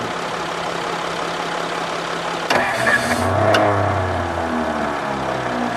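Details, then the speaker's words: 1954 Ford Crestline Skyliner start attempt, radiator found with no coolant: the starter grinds, then drops out as the engine coughs, briefly catches and revs, then dies. Old starter disengaging while cranking; owner suspects the carburetor needs rebuilding. "Old starter's kicking out now, bad."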